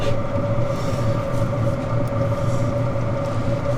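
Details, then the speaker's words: Chinese diesel heater at altitude in Rocky Mountain National Park, now lit; even steady drone with low hum and constant mid tone, no surging or misfire; normal running. "Looks like it's working. Oh, there we go. Looks like it's working."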